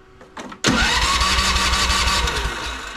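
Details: Cub Cadet CC30 30-inch rear-engine riding mower with good spark: steady cranking with even compression pulses that never catches; gummed, varnished carburetor.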